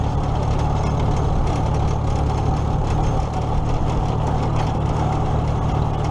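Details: Old tractor (the H) after alternator repair (loosened nut fixed), running for a ride before the 2017 Nowthen Threshing Show; steady even low rumble, no knocks or misses, smooth and healthy – normal running.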